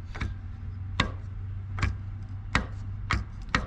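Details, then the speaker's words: Old starter from a Briggs & Stratton 19.5 hp opposed-twin lawn mower engine, shaft rocked by hand: sharp uneven clacks from worn bearing play that had let the Bendix drive gear move away from the flywheel and shred its teeth. "all that play in the bearing you probably hear it it moved away from the flywheel and wasn't making enough contact and it shredded the teeth right off it"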